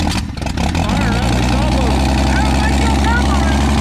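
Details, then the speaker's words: Old fleet car fired up after fitting a new starter (battery or starter had been dragging). Steady, even idle with a low, smooth rhythmic burble and no knocks or misses. Normal idle, good running. "Yep, there she is. So decent running, good running rig."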